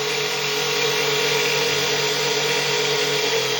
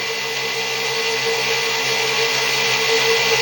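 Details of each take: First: 6-pole ZFM pulse motor, 1.5-inch Neo magnets, 48 V, one firing-circuit leg disabled under load: steady buzzing hum sagging to about 1950 rpm from 4000 and never recovering, voltage jumping near 52 V; motor laboring but still operating. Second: Six-pole zero force motor, wider 1.5-inch neodymium magnets, about 1/8-inch coil gap, 48 V, started near 4000 rpm then loaded: steady high whine held lower, motor bogged down noticeably, BEMF pattern widened; slowing under load.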